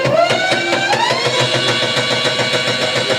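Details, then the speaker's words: Delta Star e-rickshaw; quick sharp clacking over rising electric motor whine from the differential, caused by broken pinion teeth. "तो इसमें देखिए क्या problem है। Dispenser से आवाज आ रहा है खटखट का।"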